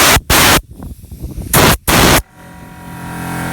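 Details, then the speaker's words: VIAIR onboard air compressor system, two sharp bursts of hissing then faint steady hum; air leaking at the air chuck fitting, not the hose; compressor kicks on at 160, off near 200 psi. "Alright, so if you hear that air leaking, it's just coming out of this fitting right here. Not the hose, but the air chuck"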